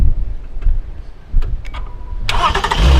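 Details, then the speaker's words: V6 vehicle with its battery drained flat, started with a JFEGWO 4000A jump starter: quiet clicks, then the engine catches cleanly at once and settles into a steady run; normal engine start. "beautiful cool as you can see it started and I'm gonna turn it off"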